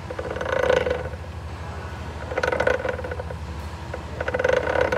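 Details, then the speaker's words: Differential with the output yoke hopping instead of spinning smoothly, in both four-wheel and two-wheel drive: irregular bursts of metallic clatter and rattle about every two seconds. Something inside is not engaging; debris is loose inside the diff. "you can see that yoke that yoke should be spinning and you can see it's kind of hopping around like something's not engaging inside so you can see right there just popping around you hear it"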